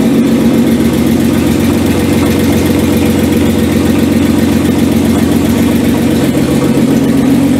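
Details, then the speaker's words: First start of an R5 Maxi replica petrol engine after a year of work, with no exhaust fitted, temporary wiring and a newly installed water pump; it idles loudly and evenly with no misfires and no leaks. "Désolé pour le son. Et là je suis en échappement libre. Donc forcément elle fait du bruit hein. Tout est nickel, il n'y a pas de fuite."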